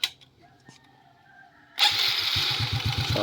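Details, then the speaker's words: Smash 115 motorcycle converted to a Wave 100 carburetor, stock mixture and stock throttle cable: near silence, then a single kick starts it at once into a steady, even, low idle thump; normal start and idle. "One flick mga idol. Ang ganda ng minor niya."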